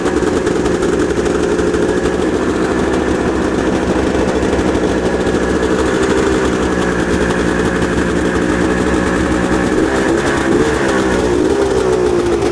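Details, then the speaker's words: Unreliable two-stroke snowmobile after repair, first start checking fuel draw and leaks: steady even burble at constant idle with no misses, stumbles or knocks; running healthy. "Oh yeah, we're in business. Scuzzy's gonna live another day."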